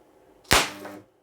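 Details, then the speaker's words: Contact spot welding machine, 4200 A, 650 mm reach, automatic mode 15 periods under half a second: single sharp crack with hissing spatter, molten metal splashed out leaving a small crater; expulsion, weld time or power needs reducing. "That is, a high rise to the molten bath has occurred. Which means that either the time will need to be reduced or the power. Well, because here it turns out for us: A molten bath of metal splashed out and such a small crater was formed, such a small crater was formed there, a depression"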